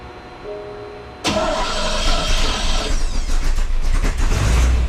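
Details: 1966 Chevy C10 with small-block 350 V8, just after a starter replacement: starter engages cleanly without grinding or screech, cranks briefly, engine catches and settles into a steady idle; normal cranking and start.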